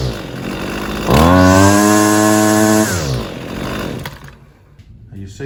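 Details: Husqvarna 128 CD trimmer after carburetor replacement, started with primer and half choke; fires and holds a steady high buzz a couple of seconds then drops off, may smoke from excess fuel left in muffler by old carburetor; normal running.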